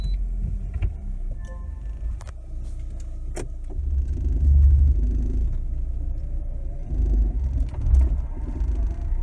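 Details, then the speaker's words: Lada Granta FL (2019) driving over bumps after the fix, a displaced door seal supplemented with an extra rubber strip tied in with copper wire: cabin rumble and soft thuds, no squeaks or creaks from doors or trim. "Больше никаких скрипов вот он по кочкам ничего не скрипит"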